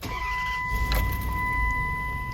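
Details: Dodge Durango 4.7 V8 (2004–2009) after the ignition fix for intermittent crank-no-start: cranks briefly and catches cleanly into a steady idle near 1000 rpm, down from about 1500 before; normal start.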